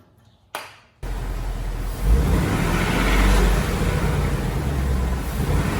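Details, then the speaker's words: 2018 Ford Mustang GT V8, after switching to 15W-50 oil and adding Ceratec: short start then deep smooth idle with no ticking; the engine tick is completely gone. "it's completely gone i don't hear it at all the typewriter does nothing"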